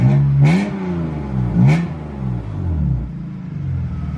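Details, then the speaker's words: BMW E36 328i on its old crushed 3 inch exhaust with no catalytic converters, before a stock exhaust is fitted. A harsh, tinny rasp rides over a throttle blip, loud enough to hurt the ears. "ah that rasp literally hurts my ears"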